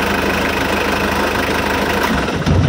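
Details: Diesel car idling while the temperature gauge is watched during an engine health check: even diesel clatter at a steady rhythm with no misses or heavy knocks; a diesel running in good health.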